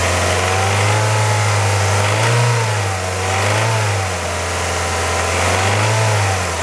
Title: Kia Ceed 1.6L G4FC engine rattle noise warm engine